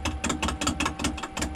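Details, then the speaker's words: Lathe roughing a green firewood log bowl blank on a faceplate with a modified bowl gouge: sharp chattering knocks, about five a second in step with rotation, as the gouge skips on the out-of-round blank; sound steadies as it becomes round. "so as it gets more round and you can hear it it will stop skipping it'll it'll give me a steady sound you know you're getting closer"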